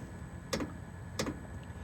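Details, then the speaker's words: All-in-one diesel air heater installed in step of 2012 Ford E250 van, starting up: crisp even ticks about every two-thirds of a second over quiet background; fuel pump tick, normal and acceptable. "it's got a little tick going to it but it's not too bad I don't mind the tick"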